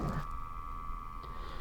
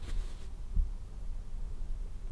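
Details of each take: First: Dyson HP02 fan switched off: steady quiet mid-pitched hum as the motor turns slowly to sample room air; not a fault, continuous air monitoring is on and can be turned off. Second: Dyson HP02 fan switched off after continuous monitoring was disabled: near silence with only faint room rumble and soft thumps, as the low-speed humming from continuous monitoring has stopped.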